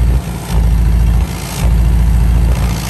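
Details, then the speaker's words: Revived VW camper van on a road trip after its exhaust got louder, checked at idle for exhaust leaks: deep, even rumble that swells and settles with no ticking or puffing. No leaks were found and the exhaust is sealed. "you would have heard the leaks otherwise so no exhaust weights she's sealed up we're good to go"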